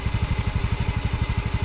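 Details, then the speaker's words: Honda Beat FI scooter that began misfiring (mbrebet) after a service, idling at an even, steady putter with no misses or hunting after repair; fault was bad O2 sensor readings; fuel pump pressure good. "FI atau Beat Echo yang kemarin katanya habis servis terus berebut, sudah normal kembali."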